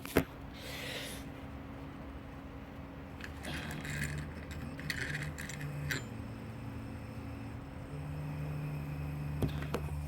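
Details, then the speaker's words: Camera gimbal with the camera removed: faint steady electrical hum stepping between pitches; the brushless gimbal motor buzzes and can go off on one because there is no camera weight on it. "It's not doing it at the moment, but as you can hear, it's buzzing. What you got to do, yeah, so it'll just have a bit go off on one if it's there's no weight on it."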